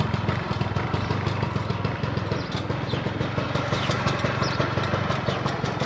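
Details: Honda Lead 90 scooter idling with a quick, steady ticking knock over the putter; engine knock, cause not identified.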